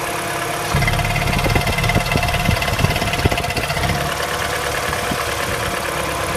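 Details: MINI N12 engine at cold idle: busy, uneven tapping over the engine hum that eases after a few seconds; the owner asks whether this is normal, cause unconfirmed.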